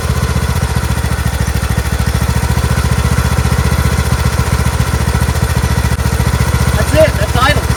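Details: Craftsman T1600 lawn tractor, Briggs 19hp, after cylinder head and head gasket replacement, oil residue burning off: quick, even putter at steady idle with no misses, knocks or rattles; slightly questionable at first, then smooth and healthy.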